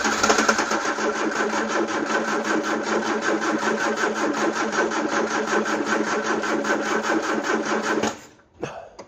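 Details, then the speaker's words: Peugeot 309 petrol with camshaft-driven mechanical fuel pump, petrol poured down the carb: steady starter chugging almost three beats a second for eight seconds, never catching; slow cranking, owner suspects low battery charge and insufficient fuel. "I think it's safe to say I'm going to need more petrol and charge the battery up, and we'll try again."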